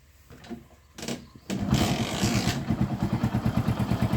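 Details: Hero Passion Pro motorcycle after cleaning blocked carburetor that caused stalling at idle and misfiring: small single idles evenly about three beats a second, no misses; fixed, normal idle.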